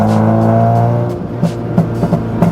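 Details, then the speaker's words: B-swapped EK Honda Civic after new throttle body install: held engine drone drops off on throttle lift-off followed by several sharp exhaust pops; car has always backfired, now on every lift-off. "it backfires it sounds like I have a verbal tune on here now and before the car did that the car this car's always done that"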